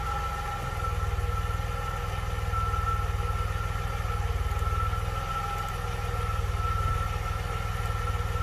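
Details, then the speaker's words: 1982 DeLorean DMC-12 with 5-speed manual, fully warmed up after a slow warm-up. Steady, even low idle with a smooth regular beat and no knocks or misses. About 750–775 rpm, near the roughly 750 factory setting; normal. "it took a little while to get up to um warm up i guess i mean it's obviously warmed up now"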